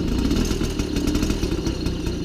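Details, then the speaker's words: 1993 MBK 51 Club Salsa moped two-stroke, just revived, held on a touch of throttle because it won't yet hold idle on its own: buzzy, evenly firing just above idle, no misses or knocks; engine running fine. "Et ben écoutez les amis, c'est plutôt bon signe. Un MBK 51 Salsa qui a repris vie, ça y est."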